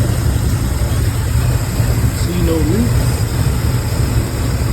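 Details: Pontiac Grand Prix G-body, cammed 305 small-block Chevy V8, after fixing a misfire from a burnt-through spark plug wire: deep, steady idle rumble with no stumble, skip or pop; running smooth and even.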